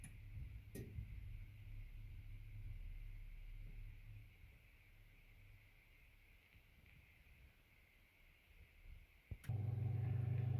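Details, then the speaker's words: AEG 49106IU-MN double electric oven after top oven grill element replacement: near-silent hum with faint heating ticks, then the cooling fan kicks in with a steady low drone once warmed up; the element glows orange and everything is working. "There you go, the fan's just kicking in now. It obviously has to warm up."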